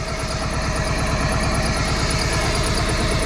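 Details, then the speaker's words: 1995 Plymouth Neon, low mileage, long-stored, just restarted after Berryman's: low idle with slightly uneven pulse around three beats a second, wavering; light misfire at idle, owner blames old gas. "A little huff. I knew that's all she needed. Little shaky. Like we said, y'all, that gas is old."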